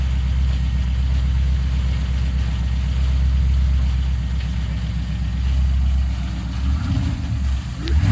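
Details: Car after starter installation, header work and MAF repair, started to be moved: steady low rumble with even rhythm, no knocks or squeals, settling as revs drop; normal start and idle.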